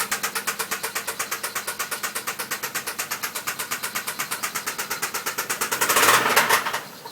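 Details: 1992 Toyota Cressida Grande petrol engine running: sharp steady metallic knock, about eight raps a second.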